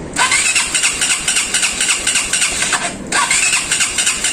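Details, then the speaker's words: Small motorcycle that rattled yesterday and now won't start after a repair; repeated rough kick-start cranking with a brief pause, never catches. Oil was spraying out; owner suspects screws were not tightened properly. "kahapon umart pa ito lumalagatok lang ngayon Nung naayos niya nung um dito tumatalsik yung mga langis dito Siguro hindi na ano hindi na higpitan maigi yung mga turnilyo Tapos ngayon ayaw na mag-start"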